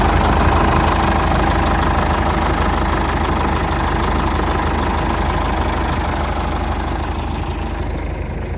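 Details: 2006 Jeep Liberty 2.8 CRD 4x4 turbocharged, intercooled diesel, stock, no check engine lights, just started: even diesel clatter at steady idle, about three beats a second, no misses; healthy normal idle.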